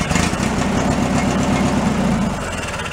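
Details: Free derelict Craftsman riding mower, first start after cleaning ignition switch, relay and safety switches and adding fuel: engine catches and settles into a steady, even chug about four beats a second, no misses or knocks; normal running.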